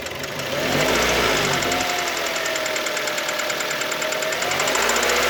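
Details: Kia Ceed engine knock only when warm, not when cold; valves adjusted and within spec, so owner rules them out: sharp regular ticking-knock about 220 a minute over steady warm idle, source undetermined.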